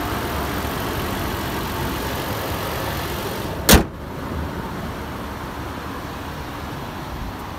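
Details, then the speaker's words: 2011 Toyota Land Cruiser Prado VX, engine bay at idle: quiet, smooth even hum with one clunk midway; very clean, very quiet, healthy normal idle. "alright let's make our way to the engine bay now as you can see and here it's very clean very quiet and very neat"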